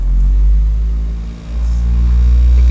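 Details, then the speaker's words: 2012 or 2013 Honda Civic after replacing all the engine mounts: fine at idle, but a deep rumble and droning cabin boom swell as the revs climb. The mechanic suspects one of the new engine mounts is causing the vibration. "like at idle it's okay right here i really don't feel much it's when you start revving up"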